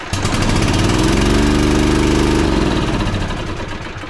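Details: Toro TimeCutter Z5035 V-twin zero-turn mower brought in for a tune-up with major loss of power: uneven, lumpy part-throttle beat with a hollow single-pulse rhythm while each cylinder is tested independently, only one side firing.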